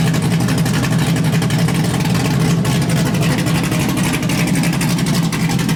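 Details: LS1-swapped Hyundai Genesis Coupe with a refreshed engine on a base tune, first runs: loud, deep, even V8 idle through a short exhaust, steady with no knocking or misfire. A temperature issue is noted.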